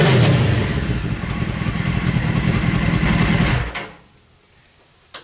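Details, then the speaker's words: Mini trophy truck project with four-wheel drive, muffler baffle removed; it revs and idles evenly with a raw, slightly louder exhaust bark, then shuts off with no misfires. Normal running with an unbaffled exhaust. "actually not that much of a difference I it's a little bit louder but I think it sounds better"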